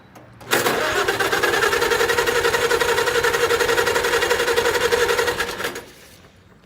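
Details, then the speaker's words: International Cub tractor, hot-wired, choke pulled, little fuel after winter storage: steady starter cranking about four beats a second for five seconds, no catch or firing; turns over but won't start, cause unconfirmed. "so actually I can get this thing started might not run but at least you can hear it crank over"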